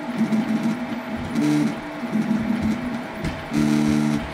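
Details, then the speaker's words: 8-year-old Prusa i3 clone 3D printer with original A4988 stepper drivers, before TMC2208 swap: loud buzzy singing stepper tones jumping in pitch with each move over faint fan hum; stepper motor noise from old A4988 drivers. "so I just flipped the cables now here is what it sounded like again before the steppers were replaced"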